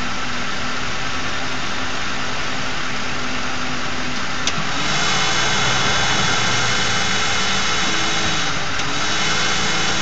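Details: Ford 4.6 V8 at idle: steady buzz riding on the engine note, growing louder partway; suspected failed Prime Guard oil filter anti-drainback valve, but noise persisted with a replacement filter, owner also suspected torque converter or transmission front pump.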